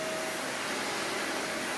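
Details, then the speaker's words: Vacuum cleaner known to be broken, run on high, about 1300 W total, green clean indicator lit throughout: thin hissy rush of air with faint high whine and little body; weak suction, little airflow. "Yeah medium seem to be a bit much but remember this machine is broken right there [Music] I'm not hearing a whole lot of airflow"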